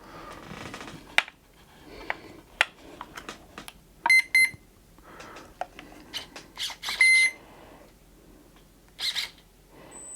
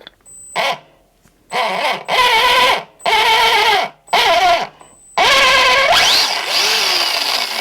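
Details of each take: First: Arrma Fury RC truck right after fitting a new Spectrum Firma brushed motor, run on the bench: loud, high-pitched screaming squeal in bursts as the motor spins up; owner suspects a worn spur gear. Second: Arma Fury RC truck after swapping a dead brushed motor for a new Spectrum Firma brushed motor. It first sounded very loud, and the owner suspected the spur gear. Now short throttle bursts give a clean electric whine rising and falling with speed, with no grinding or squawk: normal gear mesh.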